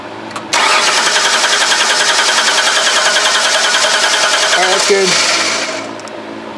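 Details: 2005 Ford Freestar 3.9L after engine swap, no spark or injector pulse, fuel smelled: starter turns the engine over at a steady chug for about five seconds without catching, then winds down; crank no start.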